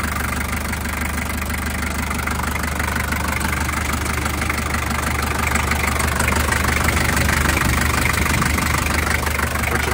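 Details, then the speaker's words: Toyota 3B diesel in a 1984 Land Cruiser, still a bit cold at idle, before adding Sea Foam to the engine oil: steady clatter about three beats a second with light tapping on top, possibly noisy valves, cause unconfirmed. "first thing let's start it up so we can hear the before noise of the engine still a bit cold but uh here's the before"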